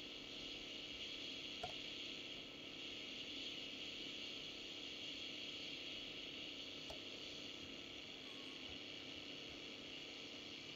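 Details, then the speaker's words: Unitra Eltra Ania MOT-711 long/medium wave receiver with aged, dried-out capacitors, on long wave: only steady hiss with faint static ticks, no station; not receiving signal, cause not confirmed. "radio szumi jak zresztą pewno słyszycie niestety trudno zorientować się czy łapie program Polskiego Radia"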